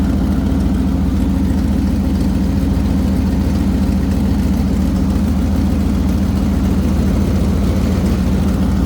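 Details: 1997 Ford idling with new radiator and coolant being added: steady idle with an even puffing tick about three to four per second over a low rumble; white smoke at the rear exhaust, suspected exhaust leak, possibly a head gasket, unconfirmed.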